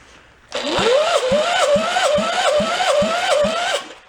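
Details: Air-cooled VW Beetle engine from a 1958 Beetle left in a swamp for 30+ years, heavily corroded and rusty inside. Starter whine with uneven thumps about three per second for three seconds, no firing; cranks but won't start.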